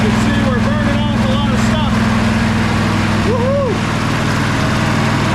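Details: Sabre by John Deere twin lawn tractor after clearing a clogged carburetor port and a loose post: steady, even idle with both cylinders firing and birds in the background. Idle sits a bit fast due to the replacement carb, but it runs really nice.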